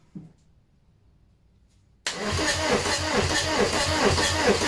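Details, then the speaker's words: VW AHU TDI engine on the garage floor before its camper swap, cranking with the throttle wide open. Steady cranking at about four turns a second with no firing; no diesel is reaching the injector lines. "Okay, so there's nothing getting through to the injector lines. I was just smelling that to see if there's diesel getting through to it, and there's not."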